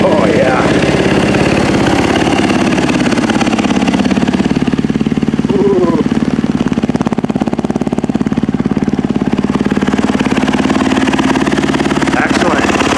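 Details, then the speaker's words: Yamaha YZ450F just after top-end rebuild and cam timing setup, started on third kick: quick even single-cylinder idle about three and a half pulses a second, good compression, no knocks or misses; healthy. "three oh that sounded really nice yeah let's try this again very nice oh yeah oh that sounds nice"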